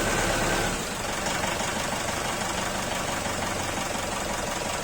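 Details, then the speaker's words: Ex-mining Mitsubishi Pajero diesel after an injector service and injector capacity upgrade that fixed its starting problem: steady diesel clatter at an even idle with no misses or heavy knocks, and the engine sound has clearly changed; a healthy idle. "suara mesinnya udah beda nih pak suara mesinnya beda"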